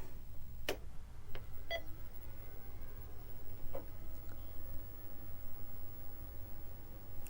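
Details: Tandy 1000HX at power-on with no disks inserted, booting its ROM startup screen: a couple of short beeps and clicks over a quiet room, then nothing; normal startup.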